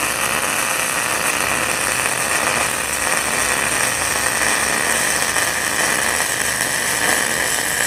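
Even, steady frying-bacon sizzle with no pops or sputters; a well-tuned MIG arc laying a good bead.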